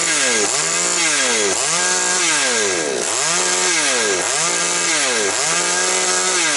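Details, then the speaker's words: Chainsaw with surging revs and hesitation, after the mixture was richened: revs rise and fall about once a second and pick up cleanly with no stumble; it is running properly. "добре. Ну, бачите, працює добре."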